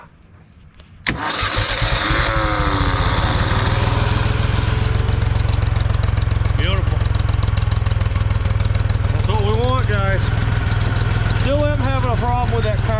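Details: 1974 Ford 3550 industrial tractor, sitting 18 years, choked start: catches within a second and settles into an even, steady idle with no knocking; carburetor floods when choked.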